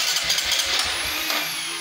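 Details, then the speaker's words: Fuel-injected motorcycle with high fuel use, fast-fouling spark plugs and stalling at idle, given up on by three shops; fuel pressure about 40 psi, valves and plug checked OK. The starter whirs with uneven low chuffs and fades without catching: it cranks but won't start. "Motornya kan nggak bisa hidup."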